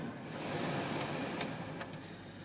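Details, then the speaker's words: 2001 Chrysler Voyager minivan A/C and heater blower that worked only on high, after replacing the blower motor resistor: steady airy rush on low with no squeal, rattle or ticking; normal blower fan operation. "let's hit the power switch all right we want our air conditioning on can we get low that sounds good"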